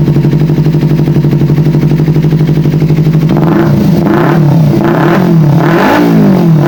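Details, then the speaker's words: Kawasaki Ninja 250 FI with complaints of stuttering, weak power and low fuel pump pressure; after fuel pump replacement pressure reaches 40, but blips show revs climbing slowly and sagging back; acceleration still sluggish, throttle body to be dismantled next. "Akselerasinya masih kurang responsif. Jadi setelah ini, kita akan membongkar bagian throttle body ."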